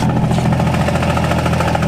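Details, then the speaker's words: Car with newly installed engine and new flywheel, cold start: rattly, uneven chatter over a lumpy idle with the clutch out that goes away when the clutch is pressed; harmless flywheel chatter. "that's going to be the flywheel chatter. As soon as you're pressing the clutch, that goes away. So it is very suspect, but it's nothing to worry about."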